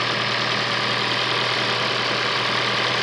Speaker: engine sounds healthy idles nicely